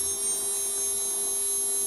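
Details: CNC spindle motor bench-tested with water cooling before return to customer: smooth, even high-pitched whine at constant pitch, no knocks or grinding; spindle spins freely and sounds right.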